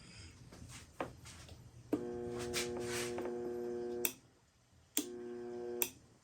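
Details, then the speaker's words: Homemade light-duty spot welder on mains power, reversed momentary switch released to energize: two bursts of steady, clean buzzing hum, about two seconds then one second; normal transformer hum, not meant for continuous running. "Can you hear? Can you hear it humming? That's fine."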